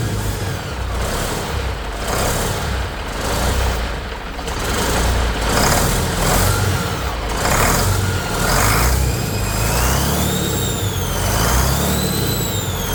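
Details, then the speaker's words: Detroit 40 series (rebranded Navistar DT466, possibly DT530) turbo diesel from a generator, sat outside 5+ years, running on ether only: heavy even clatter, no knocks, sounds good; pump return lines pouring fuel. "Alright, so as you can see, it does run on ether. The motor itself sounds really good, but these two lines that come from the return on the pump were just pouring fuel out."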